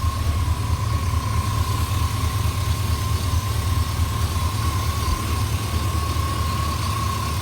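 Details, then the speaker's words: LS-swapped OBS 4x4 truck V8 warm idle after wiring finished, no codes: steady even deep rumble, initial lifter tick gone after running a few minutes; engine healthy though transmission has no gears. "once again no codes everything is running well um even the liftertech that it originally had went away after running it a few minutes"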